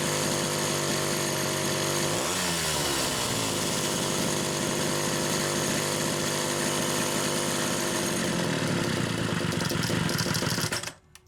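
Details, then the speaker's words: Blue Homelite Super XL chainsaw (7172 model) restarting with repaired SDC carburetor number 1, which passed its pressure test; choking flooded it, so it needed a little throttle. The two-stroke catches, revs climb briefly, then settle into a steady, even buzz without sputter. Running cleanly. "So anyway, carb number 1, we'll do a quick restart. I won't even give it any throttle. I think this one's good."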